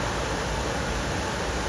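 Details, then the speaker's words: Old Ford diesel truck with a no-heat complaint, blower motor checked on its high setting: a steady, even rushing whoosh with strong airflow and no ticking or rubbing; the blower works fine on high. "High's also working fine."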